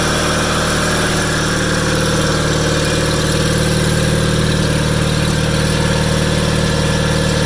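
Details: 1987 John Deere 318 tractor, 1200-hour Onan P218G twin (B48G oil pan and starter swapped in), after starter replacement and wiring fix, parked since December: steady, even low thrum at idle with no misses or knocks; idle smooth and healthy.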